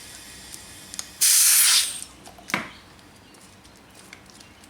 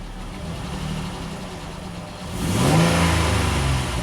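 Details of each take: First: Dodge Nitro with misfire, leak-down test on cylinder six using a small-engine tester reading up to 35 psi; exhaust valves suspected leaking: a sharp hiss of escaping air lasting under a second, then quiet; source not yet traced. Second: Dodge Nitro after new timing belt and tensioner, no fan installed: steady idle then a clean rev climbing and falling smoothly without misses or rattles; engine sounds healthy.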